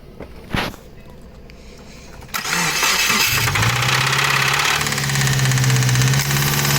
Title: 2017 Subaru wrx engine knock sound😭